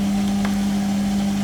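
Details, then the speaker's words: Hotpoint Ultima WT960G 7 kg washing machine (1600 spin, from 2007) on its spin cycle: smooth, steady low hum, no high motor whine. The owner notes the plastic spider means the drum bearings are already going. "now as you can hear the machine is quiet"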